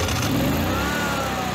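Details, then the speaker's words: Generac-built Honeywell standby generator that tripped on overspeed: steady, even governed speed with slight pitch drift as the governor settles, after the loose governor servo screw was Loctited and readjusted with more travel; normal governed run. "it's working perfect now so i adjusted that up and gave it a little more room there so it can go slower or faster"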